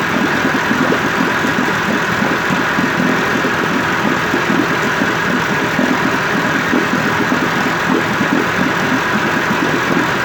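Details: 1958 Evinrude 18HP Fastwin two-stroke outboard after rebuild (replacement powerhead, new rings, crankpin bearings, NGK B6S plugs), 30-weight oil mix, in water: even, steady idle buzz with no misses or surging; running cleanly.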